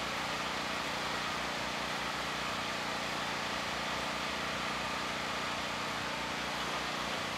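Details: FIRMAN generator after carburetor cleaning, taken off choke: loud steady engine drone holding an even speed with no surging or misses; running smoothly.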